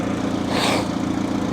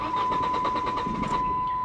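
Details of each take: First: hood struts need to replaced immediately little Ecotech turn like a kitten Second: 2002 Saturn SC2, dual overhead cam, 157,000 miles, at auction; steady starter pulses, about seven a second, go on over a second before it fires — long crank, hard start, check engine light on (cause not confirmed).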